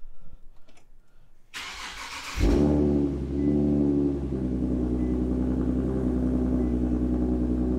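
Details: Engine with a 3-inch intake after fitting an EPS PCV delete kit as a temporary crankcase ventilation fix: cranks briefly, catches cleanly, settles into a steady even idle with no hiss or crankcase vacuum sucking; healthy.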